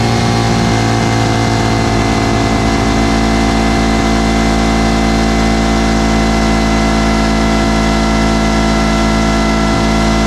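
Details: Two-stroke 8V71 Detroit Diesel V8 from an old tour bus, fuel racks tied at full fuel, in deliberate runaway with a screaming, steady high-pitched roar held flat out; a water hose is to be fed into the blower.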